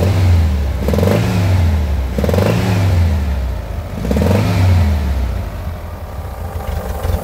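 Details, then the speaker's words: VW Beetle 1303 cabriolet, 1600 fuel injection, air-cooled flat-four blipped three times: a rough puffing clatter from compression escaping between cylinders and heads, where oil also leaks; intake air leaks at the injectors are also audible. "attention écoute bien on entend que par là là il y a il y a F de pression entre les cylindres et les culaces on"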